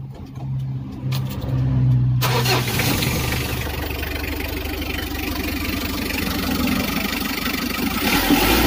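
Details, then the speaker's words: Mitsubishi L300 diesel after an accelerator adjustment to lighten its sluggish pull: the starter catches at about two seconds, then a steady clatter revs up smoothly; pull feels stronger and the engine sounds healthy. "Tarikannya serasa lebih mantap dan cara ini sangat mudah, teman-teman bisa lakukan sendiri ya."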